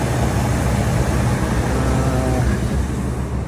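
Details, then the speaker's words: 2004 Ford F-450 V8 with engine shake and codes P0174, P0303 and P0308: a low, uneven idle with a lumpy, stumbling beat, suggesting misfiring cylinders; cause not yet confirmed. "arabada motorda sallama var ve kodlar kodlar gördüğünüz gibi 303 308"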